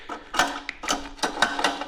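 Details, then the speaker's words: Auction-bought generator running: sharp ratcheting clicks in uneven bursts every quarter to half second; owner suspects the recoil starter lacks enough spring to pull back off the flywheel; it also leaks fuel and its on/off switch failed. "sounds sounds like yeah it's just hasn't got enough spring in it to pull it back off the fly wheeel"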